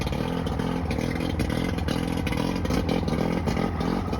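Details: Johnson 90 hp outboard with two starboard-side cylinders misfiring; spraying starter fluid into them gave no response, and a bad power pack is suspected. Lumpy, uneven running with irregular stumbles and clattery beats. Misfire.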